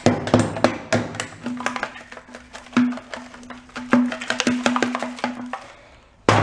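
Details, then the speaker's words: Honda Trail 90 fuel tank, bike sat 37 years, during rust removal: uneven taps give dull, dead thuds rather than a clear ring; owner suspects a rotted spot or patch there, not confirmed. "This area feels like it's either got a patch on it or not quite sure, but it's very, when you listen to it, it's like a dull thud, just kind of like rotted wood."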